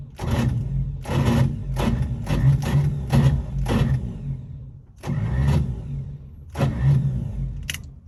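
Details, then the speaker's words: Long-dormant 1955 Chevy being revived: repeated bursts of steady starter cranking with no firing or backfire at all; crank no start. "well i didn't hear it backfiring or sound like it was backfired i really didn't hear firing at all"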